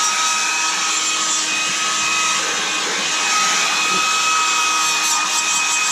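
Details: Hairdryer with a high-pitched buzzing that the owner suspects is something rubbing or a dry motor bearing. A shrill, steady buzz with several high tones rides over the rushing airflow and is still present after reassembly.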